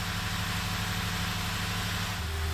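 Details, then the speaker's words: 2010 Toyota Tundra 4x4, 1UR-FE 4.6L V8, 227,000 miles, about two minutes after start following throttle body cleaning: even settled idle with steady low drone, no hunting or surging; idle came down normally, will relearn in driving. "but that's what you do if you let it sit it should go down eventually two minutes later"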